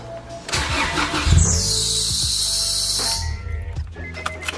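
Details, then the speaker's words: Loud high-pitched squeal rising over a GSR engine at first start-up after refitting parts and a new fuel pump before the turbo kit install; squeal holds steady a few seconds, source not yet identified, engine runs. "it's enzyme it's making that noise gotta see what that is"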